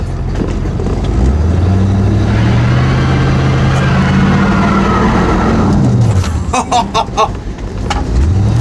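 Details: Ford F150 after fitting bigger carburetor jets, running at 100 degrees: revs climb smoothly for several seconds, drop and pick up again with no stumble or hesitation; pulls cleanly.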